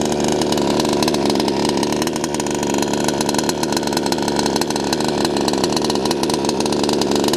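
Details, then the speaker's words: HPI Savage Octane RC car small two-stroke buzzing at high, steady pitch with even firing and no misses, running cleanly; throttle linkage not yet set up, so full transmitter throttle does not reach full carburetor throttle. "Running well though. Going well, man. It's going well. Run. Just listen to that run. What a dream. What an absolute dream."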